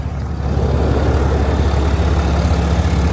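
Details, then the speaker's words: 2021 RAM 2500 Cummins diesel just started after preheat with new battery, following a big freeze: deep steady idle rumble, even beat, no stumble or misses; normal idle. "hey she's alive oh careful watch out it lives all right new battery"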